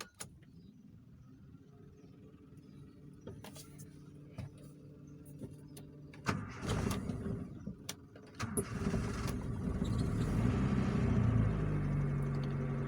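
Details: Engine after a misfire was fixed by replacing the spark plug; after some clicks and handling it fires and settles into an even, steady hum with no stumbles, running smoother than before.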